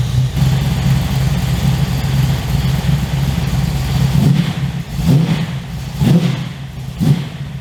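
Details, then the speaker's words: 355 stroker V8 in an HX One Tonner, restarted after 11 years unrun, Repco Engineering exhaust, recorded on a shotgun mic walking around: deep, loud rumble at a steady idle with a few sharp throttle blips and a throaty growl; runs cleanly and healthy. "Okay, so really happy with how that runs and how it sounds. So I think the exhaust from Repco Engineering sounds amazing."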